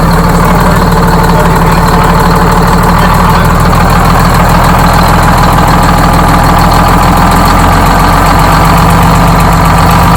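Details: Freshly rebuilt Detroit Diesel 6-71 in GM bus 3751, idling after its first start: loud, deep, steady drone with a rapid even beat, no knocks or misses; healthy idle.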